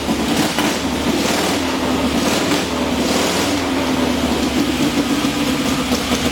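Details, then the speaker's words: Freshly rebuilt motor on a testing stand, finished about an hour earlier and already run, head bolts retorqued after warm-up: lumpy, steady V-twin beat with some wind noise, no knocking or rattles; the fresh engine sounds healthy. "Well, I'd say that sounds pretty good. Another motor job by the Dragonman."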